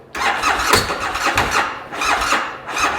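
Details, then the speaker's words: Bennche Hisun/Spire 800 side-by-side (2013 per title, 2010 spoken), cranking test after wiring changes: fuel pump heard, engine fires for under a second in three short bursts then dies each time; won't keep running, cause not confirmed. "I hear the fuel pump. Up, fired for a second. Let's try again here. And it dies off."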